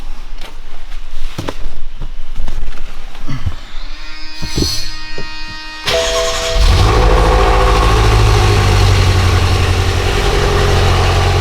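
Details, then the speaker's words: BMW M6 S63 twin-turbo V8 started with one air mass meter unplugged: cranks, catches, lumpy irregular idle. Flashing check engine light, misfire code cylinder 2, fan running for limp mode; ignition coils and plugs already checked. "Sounds pretty bad because we have severe misfire. As you can see, the check engine light is blinking, and on the fault codes we have a misfire on cylinder number 2."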